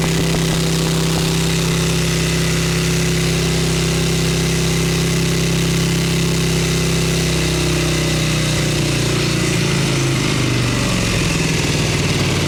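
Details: 1989 Harley-Davidson Ultra Classic Tour Glide, Evo bottom-breather with butterfly (non-CV) carb, warming up off choke: even, lumpy V-twin idle that sags, stumbles and nearly dies; it won't hold idle, and the owner suspects the idle just needs turning up.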